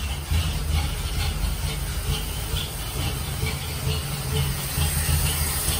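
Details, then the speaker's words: 1946 Dodge pickup barn find, old six on second start try after regapping bad, loose points and a new condenser. Running on choke, no coolant: steady even low rumble, no misses or stumbles. Runs clean. "I couldn't be happier it seems to run clean and seems to run pretty soundly it's chokes right now so fellas okay"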